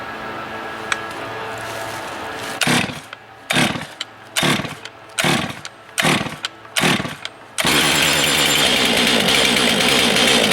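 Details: New Stihl MS 462 C-M / MS 661 C-M chainsaw at break-in, chain tension checked: several short throttle blips, then a crisp, high, steady scream at full revs with no misfire or bogging; fresh saw running clean.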